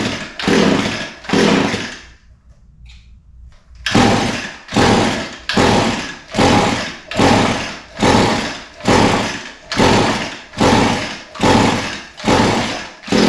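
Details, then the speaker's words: Echo SRM 225 line trimmer with fuel in the tank, primer pumped, choke on and switch on: a dozen even pulls, each a short whir with no firing. It smells flooded, but the no-start was later traced to retarded spark timing. "smells flooded I would have expected it to start by now but it smells flooded so going to pull it a few more times see what happens"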